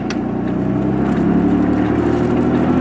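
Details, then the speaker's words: Car driven in manual with the whole exhaust leaking at the headers: a loud, raspy note pulling up through the revs, with a hissy, puffing edge of air escaping from the leaking header. "despite you can hear the air coming out of the exhaust it's the only part of this I don't like"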